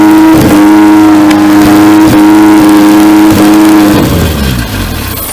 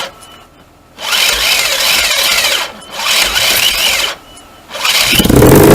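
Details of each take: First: 4G64 2.4 swapped into a 2003 Lancer OZ Rally, first start with throttle held open, fuel pressure regulator solenoid not wired and no coolant: fires and holds a clean, steady high rev then drops off; runs. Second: Swapped 2.4 4g64 engine in a 2003 Lancer Oz Rally, started by touching the starter with power while holding the throttle open; short starter bursts, catches, revs and runs a few seconds, then stalls. Solenoid not wired, owner says fuel pressure regulator needed.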